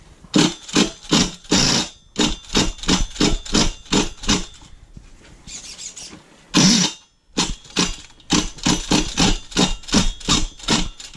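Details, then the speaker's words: Red Cat Racing Monsoon XTR .28 nitro truggy that died after jumps, with a new glow plug fitted and still not starting: short starter bursts that never catch. Owner suspects a clutch shoe hanging up, possibly a fuel line leak. No start. "Okay, it is wanting to start, but I think I got a clutch shoe. It might be going bad."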